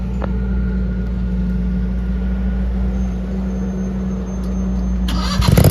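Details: RODA RD380C mini skid steer loader, gas-powered engine: steady even drone with no knocks or misses, then handling clatter at the end; smooth and healthy.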